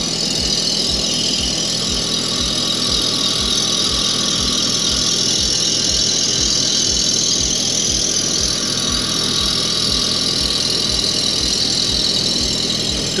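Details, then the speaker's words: Toro Greensmaster 3250D cylinder mower reel on a spin grinder, wheel traversing slowly to remove taper before setting the program: continuous high-pitched grinding hiss with a regular low thump about four times a second as the tapered reel rubs the wheel. "so I'm gonna make it go slowly across we've got to get that taper out before we set our program right"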